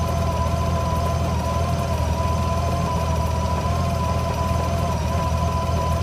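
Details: GL1800 idling with a low, uneven idle that stumbles and wavers, with a faint steady whine on top. Rough idle, cause unclear.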